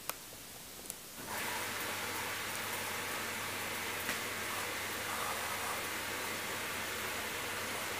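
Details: Hoover Dynamic DXCC69IB3 9 kg washing machine (1600 RPM max) starting a 14-minute Rapid cycle at 1200 RPM: faint click, then a steady low hum with soft water swishing, even and quiet; a normal wash start.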